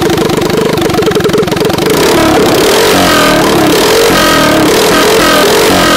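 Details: Harbor Freight 212cc engine with stage 1 mod (bugle-tip exhaust, jet kit in the stock carburetor, angled air cleaner): fires and picks up into a strong, steady beat with a crisp exhaust note; running cleanly as it should.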